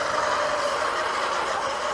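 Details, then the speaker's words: RedCat Racing Shredder 1:6 RC monster truck, first run after upgrades, repairs and differential rebuild that had screamed under throttle: smooth, even motor whir with faint steady high tone, no screaming, drivetrain healthy. "the rebuilding of the differential. She sounds good so far."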